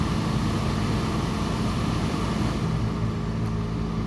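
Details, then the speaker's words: Mercedes-Benz W124 300CE-24 at 203,000 km, heard from the front outside at cold idle with the air pump running: smooth steady engine hum under strong rushing fan roar, no knocks or misses; a little loud while warming up, but a normal, healthy cold idle. "these engines are a little bit loud especially in the morning when it's just warming up because right now it's got an air pump that actually turns on"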